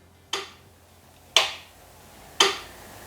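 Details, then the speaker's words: GROVERS Gagarin 2022 Combo-200 AC/DC 5-in-1 welding inverter, entering MMA mode: three crisp single clicks about a second apart, the relay switching polarity between AC and DC normally. "Вот это смена полярности происходит. То есть переменный ток, постоянный ток."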